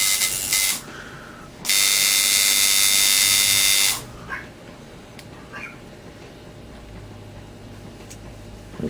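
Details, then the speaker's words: Coil tattoo liner machine tuned with contact gap about a dime thickness: crisp, even high-pitched buzz in two steady runs, no stutter or rattle; normal running. "can barely slide a dime in there. That's about the right thickness there. Sounds about right."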